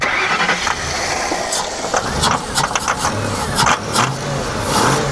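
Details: Hurricane-flooded 1992 Ford Crown Victoria with 11,000 miles, computer connector corrosion cleaned, starting fluid sprayed: cranking catches and fires into an uneven early run with some clatter, then keeps running normally.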